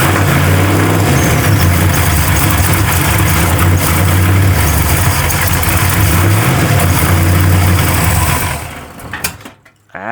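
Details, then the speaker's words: Warm truck V8 on a $200 Temu knockoff carburetor idles rough and uneven, with irregular pops and stumbles, coughing back through the carburetor. Owner suspects it is running lean. "she is lean farting all over the place."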